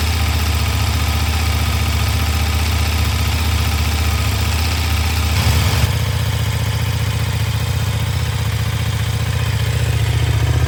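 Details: KTM 1390 Super Duke on the stock exhaust, cold after sitting for quite a while: a deep, steady low idle thrum, evenly paced with no misses or ticking, a healthy cold idle.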